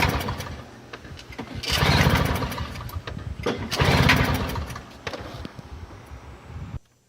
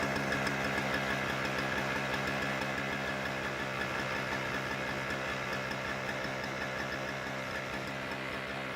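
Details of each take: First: Toro CCR2000 single-stage snowblower, 2-stroke 4.5 hp Suzuki with a Mikuni carb on 50:1 mix, primed and choked: two hard pull-start surges with sputtering pops but no sustained running; a fouled carburetor float bowl keeps it from starting. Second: Toro CCR2000 single-stage snowblower, 2-stroke 4.5 hp Suzuki engine, Mikuni carb, 50:1 mix, after cleaning the carb bowl and main jet; buzzy steady even idle without stumbling or surging; runs properly.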